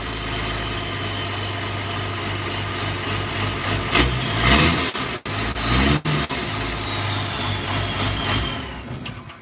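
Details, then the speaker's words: Unmuffled diesel idling with an uneven, loping beat that rises and sags; starting fluid sprayed around the injectors while running suggests one injector is leaking and sucking in air, causing rough idle. "believe he was a spraying starting fluid while it was running around these and dictor's see if there was like a air leak or something going on and I think it's that injected right there was a is actually leaking it's sucking in air"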